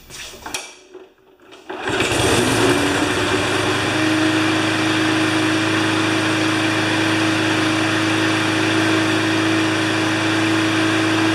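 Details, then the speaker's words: Briggs & Stratton Pulsa Prime small engine after fixing carb flooding caused by failing imported diaphragms, crankcase ventilation hose off and air filter refitted; quick pull, fires at once and holds a smooth, steady high-pitched run with no surging. "that's perfect it runs just great and I think you saw how it was running before"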